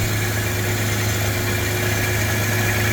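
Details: Chevy S10 with a swapped 3.4, running. Steady, smooth idle with an even low hum and no knocks or misses. Vacuum lines are still not sorted, and the transmission sounds like gravel and needs a rebuild.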